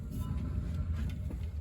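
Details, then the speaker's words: Gleaner R75 combine bearing spun by hand with belts removed during pre-season repairs: low, gritty churning growl; rough bearing, needs replacement. "Kind of hear it's got a growl to it, so that bearing will have to be changed out, which time we're done, it should be field ready and hopefully get us through another season."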